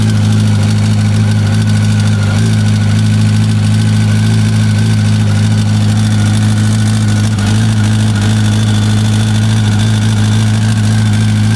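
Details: 2005 Yamaha R1 5VY at idle: a busy metallic rattle and light ticking over the engine note; top-end or cam chain rattle suspected, cause unconfirmed.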